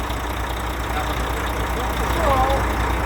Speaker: Че, Колян, все, огонь? Диагностик тебя посмотрим. Ну, звук ушел.